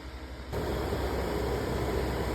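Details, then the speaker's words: Attic HVAC air handler after replacing the failed blower motor and deep-cleaning the blower wheel: blower spins up to a smooth, even airy whoosh with a steady low hum, no rubbing, ticking or wobble; running properly. "As you can hear spinning in there. That's a job well done."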